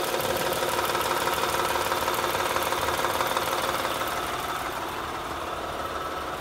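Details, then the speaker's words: 2007 Honda Odyssey Touring 3.5 at idle, heard through a noise-locating tool placed on the timing belt tensioner: fast, even ticking of about three per second, loudest there. Damaged tensioner confirmed; tensioner and belt replaced. "lo estamos poniendo en el sensor en este lector de la banda de distribución ahí es donde escuchamos la mayor parte del ruido"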